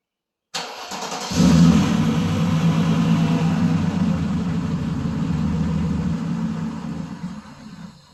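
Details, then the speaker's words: Mercedes's first start in 13 years, on sprayed starting fluid with no muffler: it catches with a sudden roar and runs rough and loud for several seconds, then fades. No bad noises or rattles are heard; a fuel delivery issue is suspected. "It sounded good, didn't it? I mean, it doesn't have a muffler on it, but the engine sounded good. I didn't hear any bad noises or rattle."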